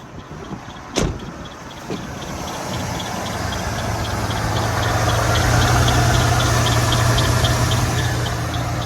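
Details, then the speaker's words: Truck started with a jump pack after sitting about a year (earlier developed a bad squeal): light regular ticking about four per second over steady idle; something doesn't sound good, cause unknown. "There she is. Something doesn't sound good."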